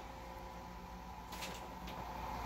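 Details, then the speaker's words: 10 W thermoelectric generator with USB charger and protected fan: after the USB load is unplugged a click, then the fan hum rises slightly as it speeds back up; normal fan speed-up. "now you unplug it and as you can see the fan speeds up"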